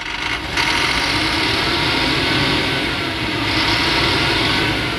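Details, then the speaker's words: Tata 2518 BS4 truck diesel with knocking, vibration and black smoke; revs smoothly with no knock or vibration once cylinder 4 injector is cut out during cylinder cut-off test, identifying the faulty injector. "लेकिन जब हम चार number तो बंद करते हैं चार number के नोजल को बंद करते हैं तो यह आवाज जो है सही हो जा रहा है और वाइब्रेशन खत्म हो जा रहा है"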